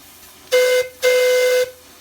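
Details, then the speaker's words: Allen Mogul live-steam locomotive after piping fixes and silver-soldering repairs: two clean, strong whistle blasts at steady mid pitch, no sputter or wavering, at about 40 psi boiler pressure; whistle sounds properly. "pulling on the whistle that sounds pretty good down at down about 40 psi pretty excited about that"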